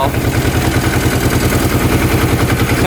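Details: 2005 Kawasaki Prairie 700 twin ATV, stored a couple of years and not starting, fires up instantly and holds a steady, even putter with no misses or knocks. The crankcase breather blows air with no oil; the owner suspects the oil was once overfilled. Airbox is off.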